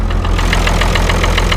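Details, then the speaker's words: Diesel with a blown head gasket, started on ether after sitting: a hard regular clatter of about seven beats a second over a slightly rough idle. The owner suspects a miss, possibly low compression on two cylinders; the radiator took 2.5 gallons of water, and the oil looked clean. "yeah the sound like it's a little missing a little bit like favor losing oppression on two of them"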